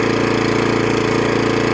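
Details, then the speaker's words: Suffolk Punch 14SK cylinder mower, after carburetor clean and service that cured hunting, still cold: quick even firing with steady beat, idles down and back to full throttle, no hunting. "Yeah, lovely, no hunting. Let's put the blades into use. And the drive works as well. That's lovely. That runs as sweet as a nut."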